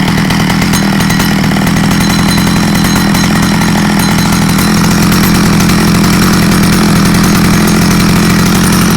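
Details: Stihl 009L chainsaw bought used and said to need fuel lines, on its first outdoor start test: a steady, buzzing high run with no surging or stumbling, so it runs well despite a broken fuel line leaking fuel when tipped.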